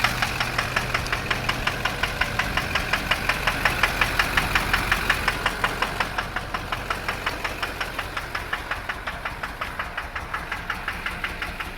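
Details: Chevrolet LB7 Duramax diesel with 320,000 miles: sharp, even knock at about three per second over the idle, steady throughout, a loud whack suspected on one bank; owner suspects a bad injector, calculated fuel rates jumping around.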